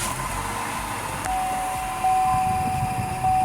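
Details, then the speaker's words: Buick Encore, Ecotec 1.4L, check engine light on and running rough: just after start-up, slightly cooled, a thin steady high chirp sits over the idle. It is suspected to indicate a failed PCV valve in the valve cover. PCV valve chirp. "That chirp that you hear should be the first indication you're probably right."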